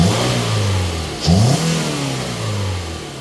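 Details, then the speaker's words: 2018 Toyota RAV4, 139,959 miles, pre-purchase inspection, under the hood: steady idle then a quick clean rev falling smoothly back to even idle, no knocks or rattles; engine sounds good. "The vehicle's currently running. Engine sounds good."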